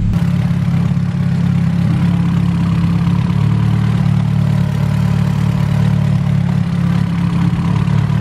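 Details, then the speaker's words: Hatchback with newly fitted distributor, ignition timing being set to match the ECU: deep, steady idle, consistent note without misses or pops, tone changing as timing is retarded then advanced; engine running as it should. "you can hear the tone of the engine change as it dropped the timing down now you're set right I'm set now"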